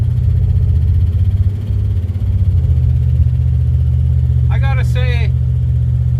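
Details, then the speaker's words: Ford Fairlane number 1 after sitting over a month in a snowbank, just started: smooth, even low rumble with no misses or knocks, about 15 volts and 40–45 psi oil pressure. Normal, healthy idle. "Fired right up. It's been sitting over a month in the snowbank, and it's just running as smooth as can be."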